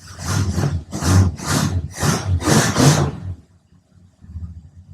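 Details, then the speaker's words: 1966 Plymouth Fury II cold start after cleaning a spark plug: deep loud rumble for three seconds settling into a quiet, steady idle with no stumble; previous misfire and shaking resolved, runs smoothly. "She feels like she's running perfect. I think we literally resolved our misfire just by cleaning up a spark plug."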